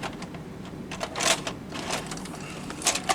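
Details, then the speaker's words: JVC HR-S5400U Super VHS deck after repair of gear re-engaging with the spindle: short clicks and whirring bursts as it pulls in and threads the tape, loading normally where before it wouldn't load. "at that it loads threads properly and looks like it's playing"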